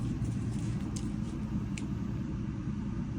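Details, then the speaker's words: Electrolux condenser dryer after replacing motor assembly with integral pulley, whose bad pulley caused loud noise; steady, even low rumble, no knocks, scraping or squeal, drum spinning; normal running. "All right. Sounds good. No unusual noises."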